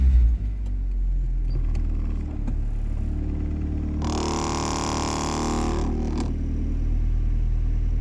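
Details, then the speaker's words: New H23 VTEC Frankenstein engine in CB9 Honda Accord, cold start after fitting the missing oil squirter port plug and fresh 10W30: short burst of revs, then steady even low rumble, no knocking; 44 psi oil pressure, previously 0. "And we have oil pressure. I don't know know if you can read that. It's telling me I've got 44 psi upon cold fire up."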